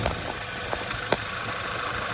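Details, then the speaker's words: 2011 Volkswagen Tiguan idling after engine reinstall with timing job, torque converter fitted, checking for leaks (gasket dry): quiet even idle with soft steady hum and a couple of faint ticks; sounds smooth, normal idle. "look at that spin sounds really nice right now actually so i'm going to let it idle"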